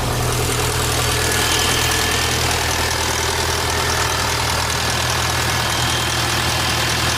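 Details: VW Bora GLI 2.0 turbo petrol, steady idle with a fine metallic rattle riding over the hum, heard before a timing chain replacement; rattle at idle, source not yet confirmed.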